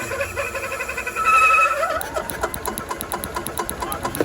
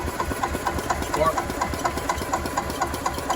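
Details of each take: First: Club Car DS gas golf cart, sat about 10 years, fresh gas and carburetor bowl opened: hand-held buzz then quick, even firing pops as the single-cylinder catches and keeps running; shows the RPM limiter is bad. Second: Club Car DS gas golf cart, sat about 10 years, fresh fuel, micro switch to RPM limiter bypassed: steady cranking about two strokes a second, never fires; no spark, traced to faulty RPM limiter.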